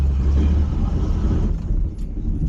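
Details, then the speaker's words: 1973 Plymouth Scamp, cold idle after a new muffler was moved closer to the body and the tailpipe replaced so exhaust exits at the rear; deep, low rumble with a slightly wavering idle, wanting to stall from the cold, no longer echoing; normal cold idle. "You know, despite the car wanting to stall kinda because it's cold, I was so used to this thing echoing off the side of all the buildings. It's a bit odd."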